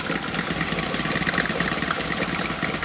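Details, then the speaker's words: 1984 Chevy Citation salvage car, just started and idling on its own; a busy whirring, chattering noise rides on the idle, which the owner thinks sounds like the smog pump (not confirmed). "that noise that you're hearing if you're wondering what that is that sounds to me like the uh smog pump yup"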